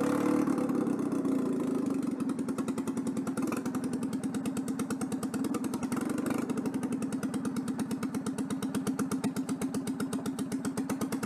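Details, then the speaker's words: Citroën 2CV twin test-run on temporary ignition wiring after fitting a centrifugal clutch. It gives an uneven, lumpy beat with stumbling pulses and a ragged idle, running very badly because of an intake air leak. "bon une fuite d'admission c'est pour ça que le moteur tourne très mal"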